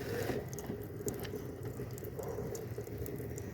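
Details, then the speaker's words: VW Amarok turbo diesel with 150-odd thousand on it: irregular drips and splashes over a low engine rumble as coolant falls straight from the worn water pump; a broken impeller could destroy the engine, so pump and tensioner kit are to be replaced. "agora Olha aqui já tá caindo água direto da bomba"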